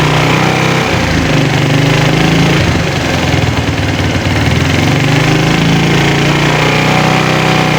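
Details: Single-cylinder motorcycle with a drained battery and no kickstarter, bump-started in 4th gear on the centre stand, idling steadily with an even putter and slight speed swings to recharge the battery; afterwards the electric starter works again. Normal running.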